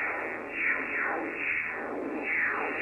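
A raspy, pulsing buzz in the receiver swells and fades about once a second and swamps the band: interference from a washing machine motor drive.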